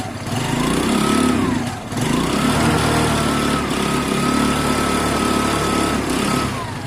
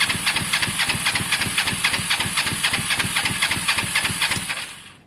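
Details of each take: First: Kawasaki ER-5 with genuine 15,000 mileage on its engine, riding: engine pulls smoothly through gentle rises and falls in revs, no knocks or misses; normal running. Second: Motorcycle cranks about five seconds at four beats a second, never firing. It has spark, fuel and maybe a clean carb, and the spark plug is only hand-tight. Owner suspects caked plugs needing cleaning or replacement.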